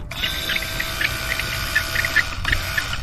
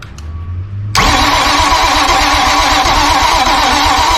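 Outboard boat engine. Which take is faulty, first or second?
second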